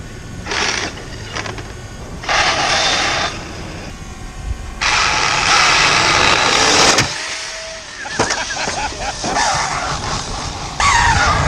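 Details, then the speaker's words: Used Traxxas X-Maxx RC truck driving in bursts with a rough clicking rattle, first suspected as the front or rear diff; the centre drive coupler is slipping inside the centre differential. "for three weeks there was this clicking sound that I thought was the front diff or the rear diff couldn't isolate it"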